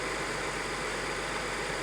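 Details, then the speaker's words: 1999 Audi A6 2.7 biturbo, 410,000 km, after replacing worn camshafts, hydraulic lifters, timing belt kit and water pump: even, quiet idle with a smooth hum, no ticking or knocking; mechanical knock gone. "подводим итог выполнена первая цель достигнута мотор работает чисто без всяких механических шумов"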